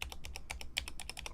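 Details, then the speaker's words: BoardSource Mark 65 keyboard during rapid typing: thin metallic ticking on some keystrokes from dry, unlubricated stabilizers (possibly Durock V2), notably the Enter key, with a fairly high-pitched typing sound overall. Owner plans re-lubing, possibly swapping plates. "But the problem with this is literally again the stabilizers as you can hear. I don't think it is like for this the enter is ticking."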